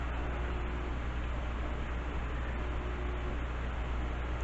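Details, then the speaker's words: Heathkit SB-1000 amplifier powered up with high voltage on, without a variac because of the power relay: a steady, deep, loud hum holds throughout, with high voltage present and grid current normal; buzz source not yet found. "Buzzing pretty hard. Don't like the buzzing. Yeah, it was buzzing a lot."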